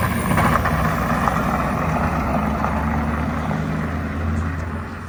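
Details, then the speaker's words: 2011 Ford Crown Victoria (CMP car) on the road after input shaft bearing replacement and manual transmission reinstall: irregular light knocks and rattles under drivetrain noise, likely the exhaust hitting a flexing driveshaft support bracket needing welding; left rear emergency brake also ratcheting. "That's that bracket hitting the exhaust, I think is what it is. Yeah. We got to get that welded up,"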